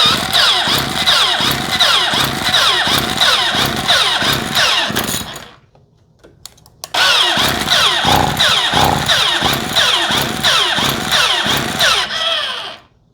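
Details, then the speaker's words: 2-stroke string trimmer with battery-only electric start, primed and choked, that reportedly won't start: two spells of rapid cranking with brief sputters that never catch before it shuts itself off; no-start later traced to fuel delivery. "So it'll try for a little bit and then it shuts itself off. I wasn't letting go of the button. It kind of just shut itself off."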